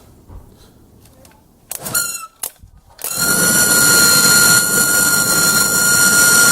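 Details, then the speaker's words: Old blower motor from a 2001 Chrysler Town & Country, removed and run on the bench, squealing loud, steady and high-pitched over air rush from dry, unlubricated bearings; squeal worsened over three to four months until it wouldn't start. "so you can hear that bearings are really dry they're tight but I could turn as soon as I get my finger off it'll stop so this one definitely the old one is running without any lubrication"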